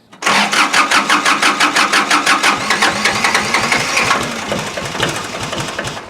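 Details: Kubota L2350 tractor diesel after water in fuel, fuel system cleaned, refilled and injector lines bled, preheated: cranks with quick even beats, then catches and settles into a steady clattering idle; starts cleanly.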